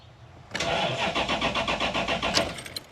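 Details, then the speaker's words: 2013 Toyota Hilux (auto) with 3UZ V8 swap, being jump-started: sluggish laboured cranking at about four even pulses a second, then fades; large starter voltage draw because battery is run down from repeated cranking. "the voltage is down quite a lot we've got a lot of voltage drawer from the starter motor at the moment because that battery is getting low"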